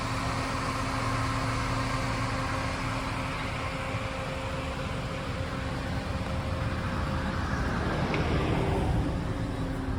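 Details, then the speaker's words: Ford FG XR6 ex-police car, naturally aspirated with a 5-speed auto, on its fairly standard exhaust before a new exhaust is fitted. It idles smooth, low and steady with an even hum and no knocks, misses or exhaust blowing; normal idle. "The exhaust is fairly standard, so it doesn't sound too loud."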